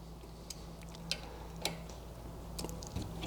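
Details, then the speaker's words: New bicycle's disc brake after the caliper was re-snugged and torqued: faint light ticks about every half second as the wheel spins. The slight rotor rub occurs only in a couple of spots, not constantly, and could probably be fixed by adjusting the caliper. "And this one's still rubbing. So you can tell it's not a constant rub, it's just in every couple of spots."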